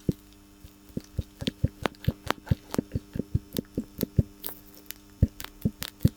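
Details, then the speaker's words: Worn lower sway bar link (stabilizer link) on a BMW X5 E53, sharp dry knocks about three or four a second as the link is worked; loose joint after its boot tore and water got in, upper link still tight. "вот такие звуки издавал а наша старая тяга стабилизатора"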